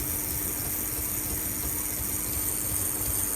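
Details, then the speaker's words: 1986 Hornby R074 model locomotive, fully serviced X04 motor and chassis, runs with a steady low hum and faint even tone, no rattle or grinding; noisy at first power-up, now sounding smoother as it runs in. "When I first powered this up, it was quite noisy, but as you can hear, the more it's running in, the sweeter it's starting to sound."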